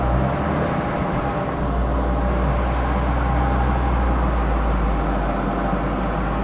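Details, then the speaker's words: Ford Escort with VW 2.0 TFSI BWA engine swap on dyno; loud hard-working roar under load with uneven lumpy pulse, not making boost, wheel spin and some backfiring. Engine stumbling; cause unconfirmed, log to be checked. "it's not happy sounded like you're wanting to boost oh definitely make it moose got an issue of wheel spin and something else back firing a little bit"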